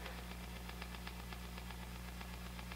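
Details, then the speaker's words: Fender '68 Deluxe Reverb amp, bridge pickup, volume 4, no attenuation: faint regular ticking about four times a second over steady mains hum, the tremolo circuit bleeding through; mic may barely pick it up. "it's like in the room i still hear that ticking but i don't know how well this mic picks it up"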